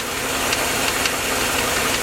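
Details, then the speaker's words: Chevrolet Suburban engine at idle: sharp evenly spaced knocks over top-end clatter; knock vanishes when cylinder five's plug wire is pulled and returns when refitted, confirming a worn number five rod bearing. "now it comes back again knock's on knock comes back so that is definitely a rod bearing number five"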